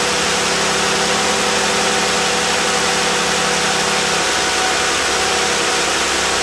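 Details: Jeep JK 2012+ 3.6 Pentastar V6 at first start after new spark plugs and upper intake manifold gaskets: a loud, steady idle with an even drone and no misses or ticking; it started faster than before the plug change, a normal idle.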